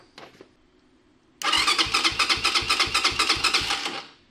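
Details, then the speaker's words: Venom X22R 250cc motorcycle, new from crate, dead battery jumped from loose battery: quick even cranking about four beats a second for 2.5 s, engine never catches; cranks but won't start, cause unknown. "are you freaking joking me right now all right it's gonna need a little love before it's gonna start"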